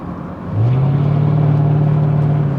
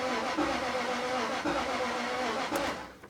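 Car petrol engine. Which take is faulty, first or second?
second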